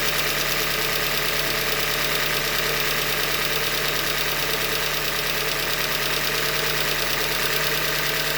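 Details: 2015 Hyundai Elantra Limited, 91,000 km, cold idle: uneven deep knocking about two per second; engine knock attributed to short block failure from manufacturer defect.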